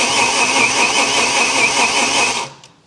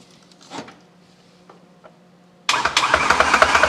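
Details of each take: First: BMW S85 V10 after nearly ten years, cranking before first start: even, steady churn; earlier slapping from the cylinder heads has dissipated as oil pressure builds, then stops cleanly. Normal cranking; fuel pressure and DME still to be checked. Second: BMW S85 V10, sitting nearly ten years, on standalone engine management: slapping from the top of the cylinder heads while cranking with no firing, from low oil pressure; owner says it fades once repeated cranking builds pressure.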